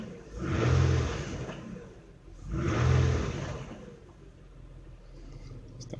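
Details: Infiniti I35 with a cylinder 6 misfire code, possibly from cleaner used at start-up; owner suspects excess fluid in a cylinder, crank sensor doubted. Two throttle blips, then an unsteady, lumpy idle close to stalling; rough running with stalling.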